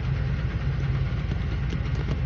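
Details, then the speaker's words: Ford truck, briefly run after sitting: low idle with an uneven, stumbling beat and dropped pulses; misfire at idle, owner attributes it to an exhaust leak. "so my dad's going to put it up online because it's you literally have to take everything off to just to fix the exhaust leak that's what's causing it to miss too"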